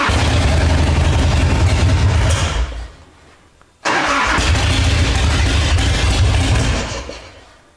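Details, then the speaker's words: 1990 Harley-Davidson V-twin after no-spark repair, cold start on choke in neutral: fires and settles into steady even lope on both cylinders, spark on both, running cleanly. "this is just a followup guys on our our motorcycle diagnosis uh it starts and runs great right"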